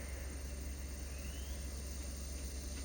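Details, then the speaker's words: Three-phase motor on a VFD driving a Precious Plastic-style extruder auger: a low, steady hum with a faint whine and no speed build-up at 10 Hz. The motor runs slowly and weakly and stalls when the frequency is raised; cause unknown. "the thing is I can't go faster or more powerful than that and that seems like there's something wrong there I don't get what's happening"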